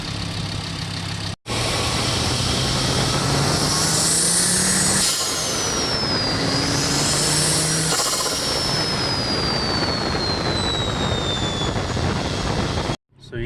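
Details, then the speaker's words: VW/Audi turbo car with an RKX-tech aftermarket diverter valve replacing a rebuilt Forge 007: pulls hard through the gears with rising turbo whistle and clean releases, comes out of vacuum quick and holds boost; normal operation. "that's it the rkx diverter valve was in there and operates just fine comes out of vacuum quick holds boost the whole time"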